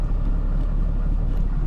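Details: 4th-gen 6.7 Cummins diesel tow truck, just after oil and fuel filter change with 15W40 oil: deep, steady idle with no knock or clatter beyond normal; oil pressure confirmed, running healthy.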